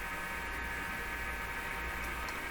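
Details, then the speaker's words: RCA Victor A38 shortwave tube radio on the bench during IF alignment, tuned near 530 kHz on broadcast band: loud steady hiss with constant hum underneath and no program audible; interference noise just below the dial's low end. "this is at two the radius tuned to 530 right now or somewhere in that range so that noise is just below"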